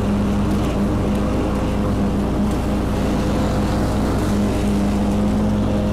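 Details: Kubota Z122R mower after new carburetor and new fuel filter, cutting grass: steady even drone with constant hum under load, no surging or stumbling; fuel starvation fixed.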